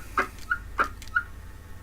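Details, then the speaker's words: Uniden AX144 CB radio on transmit into a dummy load, transmitting but somewhat off frequency: short, shrill chirping squeals repeating irregularly; might need recapping. "That's that like squeal. Guess what? That's interesting. Might need recapping as well."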